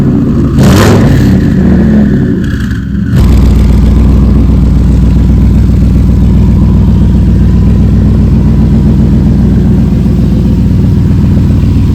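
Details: Ford F100 build with a turbo engine, first start after a coolant fix and repair of a turbo oil-feed line leak: brief crank, catches near three seconds, then a steady even low rumble with no knocks or ticks.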